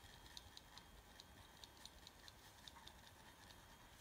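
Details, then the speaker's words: Running laptop hard drive booted into an operating system and being shaken back and forth. Faint, irregular clicks over a soft hiss; disk access stops while it is shaken and resumes once shaking stops, heads seemingly parking and retrying. "that's me shaking it back and forward now if I stop just gonna start again that's actually quite smart I think that's quite well done"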